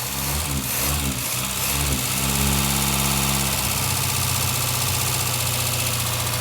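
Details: 1965 Morris Minor 1000, first start after over 40 years sitting in a barn: engine catches and runs unevenly, stumbling and surging into a ragged idle; misfiring, with plug leads found firing in the wrong order and owner suspecting too little fuel.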